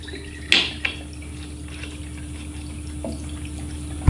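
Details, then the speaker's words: New Swiftech Apogee pump replacing an Apogee II, running full-on in a test loop with reservoir, air bubbles purged, microphone maxed: steady even low hum with water trickle and drips, no rattle or surging; normal operation. "I want you to listen to the pump this is full-on and my microphone is maxed out so this is what as this pump is gonna get"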